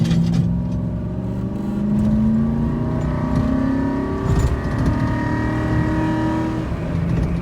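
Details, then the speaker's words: 2008 Ford F-150 with 320,000 miles, driven after a transmission fluid change: engine climbs steadily and drops cleanly at each upshift. Now shifts into fourth without getting stuck in third as before. "getting stuck on third after accelerating y'all see how it shifted on fourth it did not get stuck shifting right there"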